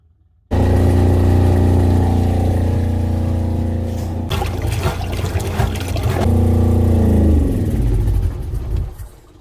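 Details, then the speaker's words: Fischer Panda generator on a new 2022 Regal 36 XO boat, with a high exhaust manifold temperature code: fires and pumps water, then the note fluctuates and sags before it shuts off by itself; seagrass in the strainer caused the earlier overheat. "looks like she was pumping water but she's fluctuating and she just shut off all by herself"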